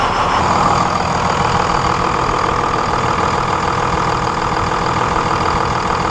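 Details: 1999 Dodge Cummins 24-valve diesel with hard, long starts and heavy white smoke, #1 injector line cracked loose for fuel pressure check, battery charger attached: settles into a steady, even clatter with no stumbling or misses; clean, normal idle.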